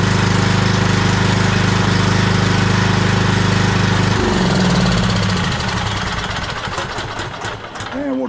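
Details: Cub Cadet LT42 riding mower, Kohler KS540 18HP single-cylinder OHV during service after oil top-up: strong steady thumping at high throttle then winding down smoothly at throttle drop, running normally.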